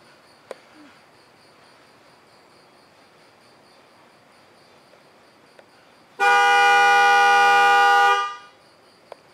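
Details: 2013 Chevy Volt horn commanded through a bi-directional test on the Delphi GM scan tool: quiet background, then one clear steady horn blast of about two seconds that stops cleanly. The horn works normally.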